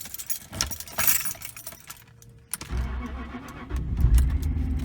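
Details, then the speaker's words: 2003 Jaguar XJ8, 99k miles, in cold winter weather; no-crank traced to a failed spare security key. With the original key, keys jangle, then it cranks briefly and fires into a steady low idle; normal crank and start. "it starts just fine."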